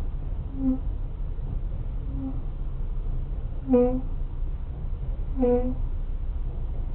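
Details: Ford Focus 3: short, mid-pitched squeaky chirps repeat about every one and a half seconds over a low rumble; a brake squeak of unclear cause.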